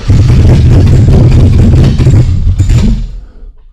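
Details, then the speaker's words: LS-swapped V8 just started after wiring a late-model Cadillac Escalade drive-by-wire gas pedal; throttle body and both sensor voltages sweep correctly: deep, even idle rumble, still learning idle, then switched off; nothing abnormal. "still learning how to idle okay everything works just fine there"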